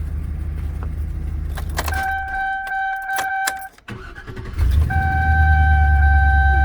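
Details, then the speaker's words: 2005 Chevy Express 2500 6.0 after starter replacement (old starter bad): brief quick, smooth, even cranking that catches straight away with no grinding or clicking; healthy starter. "okay so that's the way it should sound fine you got a good starter really smooth fast cranking no weird noises"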